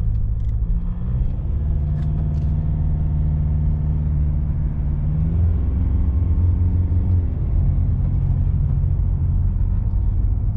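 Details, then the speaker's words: Inside the car with a wheelbarrow strapped on the roof, untwisted straps: the noise starts at about 40 km/h, and a loud droning buzz over road rumble rises in pitch as speed builds. The straps are vibrating in the wind. "i'll pick up a bit more speed and it gets louder now that is one horrendous noise"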